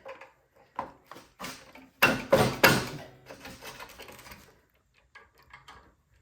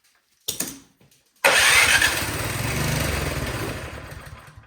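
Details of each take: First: Craftsman snowblower that would not start, after its dirty carburetor was replaced: several short pull-cord tugs on choke, then it catches at once and settles into a steady, even run. Runs great; normal running. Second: Craftsman snowblower no-start with oil and spark confirmed: starting fluid sprayed into the cylinder, then one pull catches and runs about three seconds before fading. Suspected bad, gummy old fuel in the carburetor; fuel starvation from a clogged carburetor.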